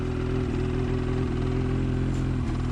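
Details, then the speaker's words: New 2019 Ski-Doo MXZ Blizzard 600R E-TEC two-stroke, just started after a year crated, cold and in break-in mode burning extra oil; low buzzy idle with small dips and stumbles every second, windshield shaking; rough idle, cause unconfirmed. "you see the windshield shake in there a little bit you just hold that it kinda stops but I'll let it warm up a bit"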